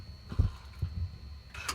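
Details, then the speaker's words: 2015 Audi A5 2.0 TDI exhaust pressure control valve with codes P047500 and P047F00, motor powered and grounded through test light: a few soft, low clicks as flap actuator moves; valve motor operating. "ground side of the wire and watch this when the light goes up the thing's actually starting to work so we're then grounding it down through our test light"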